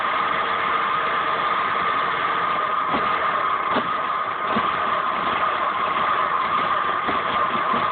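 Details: 2005 Saab 9-5 Aero with codes P1300 and P1304 despite new direct ignition coil: steady idle hum broken by irregular thumps and stumbles; engine misfire, cause not yet found.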